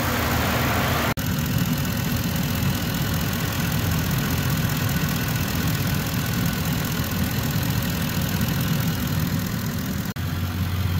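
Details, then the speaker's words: Ford F-150 idling while warming up after replacing the water pump, pulleys and belt for a bearing noise at start-up; even smooth idle with no squeal, chirp or bearing rumble; much quieter than before. "so now we'll just let it run sounds much quieter doesn't it hope we're on the right track"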